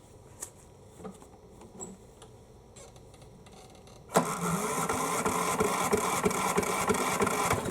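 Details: Craftsman riding mower, model 917374552, no-start, fresh fuel added, battery seems low: a few clicks, then fires right up at once and settles into a steady, even run with no misses; normal running.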